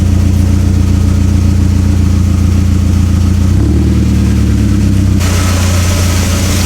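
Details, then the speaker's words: Barn-find Mk4 VW GTI, first start after sitting: fast light rattling ticks over a steady warm-up idle; owner suspects stuck tappets lacking top-end oil pressure, may wind down. "So, it's just rattling, which is really odd."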